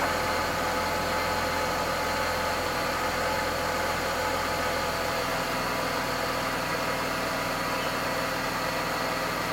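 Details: Mercedes-Benz W124 E320 (M104 inline-six) after a DIY service with engine oil, automatic transmission oil, oil filter and air filter changed: a smooth, even idle hum with a steady low beat and no knocks, ticks or misses. It sounds healthy.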